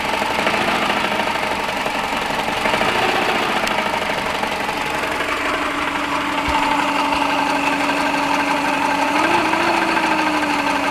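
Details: Subaru EJ15 boxer engine idling: loose, irregular knock under the hum, roughly three a second; engine knock, cause not identified.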